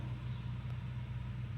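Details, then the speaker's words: 2018 Jeep Cherokee 3.2L V6 after replacing the cylinder 1 spark plug for a P0301 misfire code: steady, even low idle rumble with no stumble or skipped beats. Misfire gone and check engine light cleared; running on all cylinders. "Now let's see if we took care of the issue. No more miss. Get cleared out. No more check engine light. No more miss."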